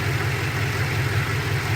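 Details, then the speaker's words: 2007 Ford F-150 4.6 2-valve V8, which earlier had a P0306 cylinder 6 misfire, after swapping coils and checking plug tightness: even, low rumbling idle with steady beat and no skips; misfire no longer present; normal idle. "all right let's take it for a spin and see if our misfire comes back I'm driving it's not currently misfiring running pretty good"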